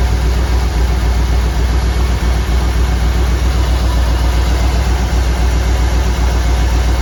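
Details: 1959 Ford wagon V8 at idle with a steady lumpy stumble about four times a second; number eight cylinder not firing, likely a bad spark plug or plug wire.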